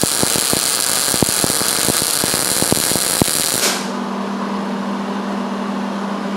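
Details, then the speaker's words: MIG welding thick metal with heat cranked up and wire speed slowly tuned: steady sizzling crackle with fine even pops, then arc stops and a hum remains; properly tuned weld with a stable puddle and good heat. "Since this is a thick piece of metal, we'll just crank the heat and then we'll just slowly tune the wire speed until we get to something that sounds proper and burns in nice."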